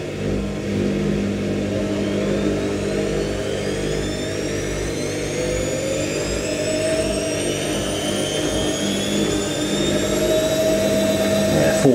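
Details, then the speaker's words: New IKEA RENLIG IWM60 integrated washer on its first wash, Cottons 60°C with SuperQuick and a load of darks, spin ramping through 650 and 850 rpm: rising whine with a gritty, rough edge from the motor bearings. "650 850 creting quite a nice effects that sound of the motor bearing [Laughter]"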